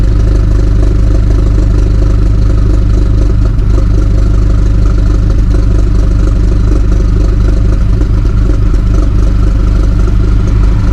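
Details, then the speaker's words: 2018 BMW 430i Gran Coupe (F36), B48 four-cylinder with mods, at fast cold idle: loud, deep, steady rumble with an even tractor-like chug. Owner says it sounds good; healthy cold start. "so yeah man that's what she sounds like in a cold start um it's not crazy but she sounds good bro like for real for four banger she sounds good"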